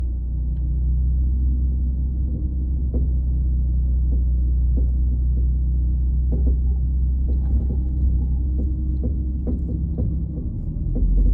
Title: 2014 Dodge Charger making a clunking noise after driving for more then 15 minutes at slower speeds.